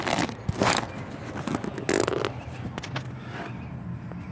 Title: Loud noise when I put my truck in reverse..can anyone help me